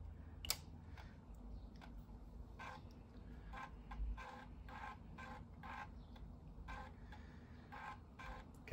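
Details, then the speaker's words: Amiga 600 floppy drive just after GoDriVe installation, test with disk inserted: faint steady whir with soft repeating buzzy ticks of the head stepping; drive reading the disk normally. "hear the floppy drive whirring away there. See what's going on there. That's great."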